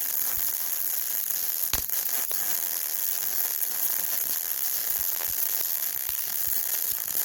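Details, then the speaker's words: Yeswelder MIG-Pro250 laying long MIG beads with .035 wire on beveled, gapped 5/16 scrap steel plate: a steady arc hiss broken by occasional sharp pops where the wire hits rust, making porosity (small holes) in the bead. "every now you turn every now and then you'll hear a little bit of a pop sound and that is me getting into a little bit of the rust so it's impurities and that pop is most likely a little hole in the bead called porosity"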